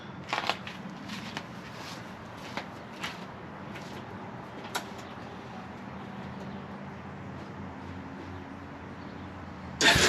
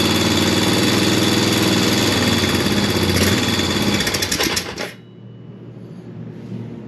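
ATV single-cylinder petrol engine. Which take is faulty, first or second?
first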